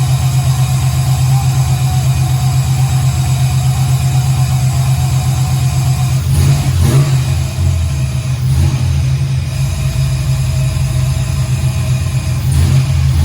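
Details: 1968 Camaro V8, second start-up, Holley EFI without correct injector data, idle not yet adjusted: deep smooth rumble with brief throttle blips settling cleanly; a bit smoky from oil put in cylinders, oil pressure reads error; sounds great, normal revving.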